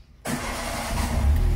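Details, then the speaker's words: Peugeot 206 petrol that would not start: fuel pump wire bypassed with a jumper, so the BSM was not at fault; short crank catches at once and settles into smooth, even idle; normal start. "Aí, pegou, ó. Então, tá aí, ó. Não era BSM, tá? Que eu achei que fosse."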